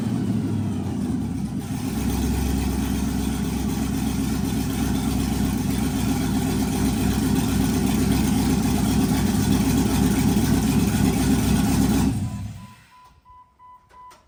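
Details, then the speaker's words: Old 4.8 Vortec LS V8 swapped into a Jeep Wrangler, first start: loud, raw, uneven lumpy idle with some hunting before shutdown; rough running, untuned, on open headers with no exhaust. "the Jeep still needs a tune and it kind of sounds like crap being that it's only open header but we will get an exhaust on it once we get drive shafts in it"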